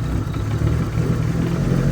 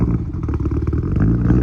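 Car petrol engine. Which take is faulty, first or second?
second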